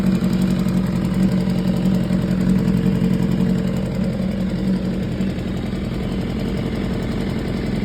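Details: 2015 BMW S1000RR at 7.8K miles at a busy idle, a fast light ticking steady over the engine note; top-end ticking, cause undetermined.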